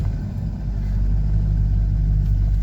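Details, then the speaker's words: C5 Corvette with rebuilt T56 and MGW short-throw shifter, first test drive after driveline install: heavy low road and drivetrain rumble in the cabin at steady speed, tunnel noise leaking past a shifter boot not pushed down; shifter boot not seated. "you can hear noise it's because this boot is not shoved down on there so you're getting a lot of tunnel noise"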